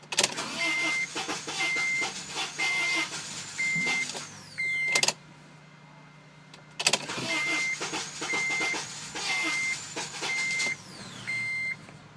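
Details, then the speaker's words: $300 abandoned Honda Element AWD EX after a starter replacement, with the throttle possibly disturbed when the intake came off. The starter cranks in steady bursts of about one per second without catching: a cranking no-start, though it starts shortly after. "let's see if it starts oh that was close oh boy this thing's really what a junker oh so close so close to that"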